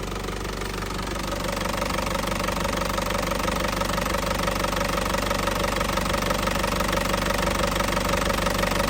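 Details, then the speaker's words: 2007 Isuzu Panther LS Turbo diesel, 98,500 km, fully warm, no smoke from oil cap or dipstick: even steady idle clatter without misses or knocks, engine still sounds very smooth and healthy. "masih suaranya masih pulen banget ya, masih suaranya masih pulen banget ya, suaranya mesin masih pulen banget."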